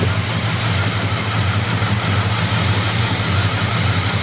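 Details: Buick 350 V8 at idle and light revs: loose, irregular knock about 85 a minute from inside the engine; engine knock, cause not identified.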